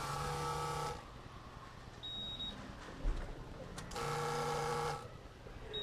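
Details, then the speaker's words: 1997 PCM engine in an MB Sports Boss LS210 ski boat, after replacing the Fuel Control Cell filter to cure stalling; ignition cycled, two short whirring hums that stop cleanly, sound changing, possibly as it fills, no leaks; normal fuel pump priming. "Okay, you hear that? It's doing something. Okay, I don't see any leaks yet. Maybe it's filling up. The sound's changing."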